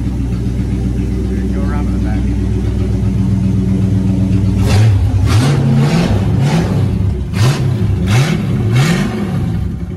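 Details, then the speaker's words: Car not started in a while, misfire fixed by reconnecting a loose spark plug wire (not timing): low steady idle, clean rise and fall on throttle blips, no stumble; stock exhaust. "well hey just a quick update sounds pretty badass doesn't she and we haven't even started upgrading our exhaust yet"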